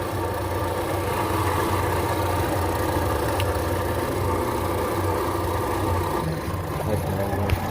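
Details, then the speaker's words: 2014 Ford Fusion with newly installed aftermarket alternator and charging issue: engine was surging after BMS reset; with a connector unplugged, even steady low idle hum with no hunting; alternator judged faulty, needs replacing. "Now you can even hear the engine stabilized. It's running smooth right now, really smooth, and it quit surging."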